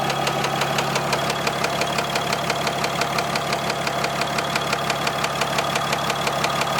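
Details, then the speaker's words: 4th-gen dually diesel pickup, warm at about 180°F after a new tune file: idle with a sharp, regular knock about three times a second over the clatter. The tune didn't change it; the owner suspects an injector. Mild blow-by and a coolant leak were also noted. "But I don't know if you guys can hear that knocking, but it's like pretty obvious."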